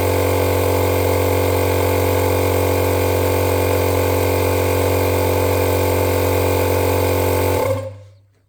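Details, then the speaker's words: Electric fuel pump on an FCR 37-carb racing bike switched on during fuel-system cleaning, blowing methanol out of the line; gauge reads check-valve cracking pressure about 3.5 PSI. Steady even buzz holding level several seconds, then clean cutoff: normal pump operation. "it's it's cleaning the line out it's blowing all the out of it all the methanol"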